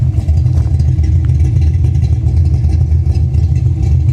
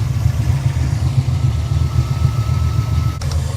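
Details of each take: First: 1989 Ford Mustang GT Foxbody V8 with big cam and heavy blow-by splattering oil under the hood: deep, loud, slightly lumpy idle firing evenly without knocks, ticks or misses; sounds healthy, normal idle. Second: 1989 Ford Mustang GT Foxbody at idle, oil filler open: heavy, uneven rumble with irregular puffing; blow-by so severe it splattered oil over paint and under the hood.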